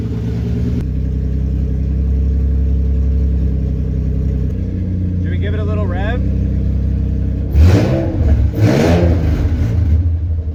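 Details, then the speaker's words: Nissan 350Z after engine and transmission reinstall, following a part swap and added ground strap: steady, even idle with smooth low rumble, two clean throttle blips without misfire; good oil pressure, healthy, no leaks apparent. "Happy to say that it's got good oil pressure, it sounds healthy, and I don't think we have any leak"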